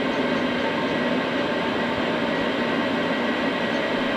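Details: Cheap Chinese diesel night heater from eBay, running after defective fuel filter replaced, building up to full capacity; even steady combustion roar with smooth fan rush, no surging or popping: normal diesel heater operation.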